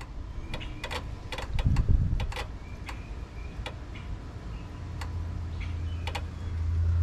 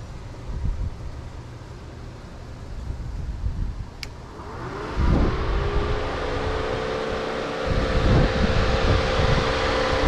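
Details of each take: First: Mustang cooling fans, testing an aftermarket relay and hardwire switch on a 12 V signal with a 30 A battery feed: sharp, irregular relay clicks in quick clusters with no fan motor spinning; the fuse was blown, so the fans don't run. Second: Mustang with GT500 replacement cooling fans wired straight through a new relay and switch, resistor deleted, 40 A fuse fitted, engine idling: around the fifth second a whoosh spins up into a steady hum over the idle; both fans running properly.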